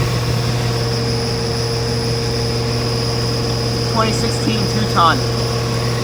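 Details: 2016/17 Rheem 2.5-ton dual-zone central AC outdoor unit on first start-up of the cooling season: steady low hum and constant fan whir with no rattles, squeals or cycling; running normally, though oil smell from vents was a prior worry.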